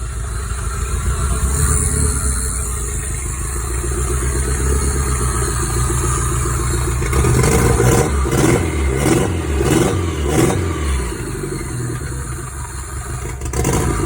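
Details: Toyota 5S-FTE petrol four-cylinder after a bearing swap for rod knock: idles evenly, then several throttle blips with no knock under the revs; seems to be running okay.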